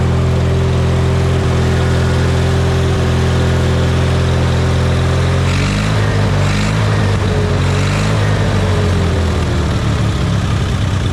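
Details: Hobart welder generator engine idling after replacing the main and idle jets and a new gasket: steady, even hum with no misses, then speed shifts and settles as the governor responds; runs cleanly.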